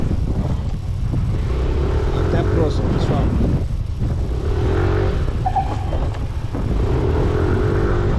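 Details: 2021 Yamaha NMAX scooter with ABS, riding with rear brake only: road and wind rumble with a faint, low, falling squeal on each stop, and the rear reportedly skids; rear brake/ABS fault, cause unconfirmed.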